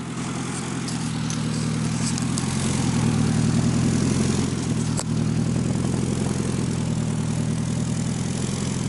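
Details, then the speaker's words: Custom exhaust just installed on AWD Honda Accord, cold ~40°F day: loud deep idle, much quieter than before, faint puffing tick over steady rumble from small leak at not-fully-sealed V-band flange joint, fix pending. "yeah it's a lot quieter still has a little bit of leak from that VLAN but I'll take care of that"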